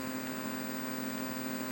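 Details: Midway Wolf Unit arcade PCB (Mortal Kombat 3) with bodge wires from a previous owner, on power-up and ROM check: steady hiss and constant low hum under the game sound, audio static.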